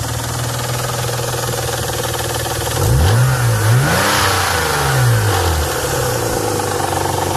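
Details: 1992 Nissan 300ZX naturally aspirated: loud rapid knocking, roughly four a second, following revs up and down, started suddenly; deep internal engine knock.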